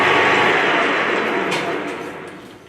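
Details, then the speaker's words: Lathe turning a Holden Commodore V8 rear axle down to 53 then 52 on a moderately hard shaft, with blue chips; faint steady squeal over harsh cutting hiss, fading as the cut eases: tool chatter from long stick-out. "Now we'll go 52. Got a bit of chatter that you can hear."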